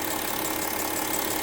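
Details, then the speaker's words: Audi Q7 diesel idling: steady airy hiss and soft chuffing as compression and exhaust gas leak past the failed middle injector seat on the nearside bank, melting the plastic rocker cover and causing an oil leak onto the exhaust. "e's a problem something's blowing that yeah i always say it's called compression going through making that noise"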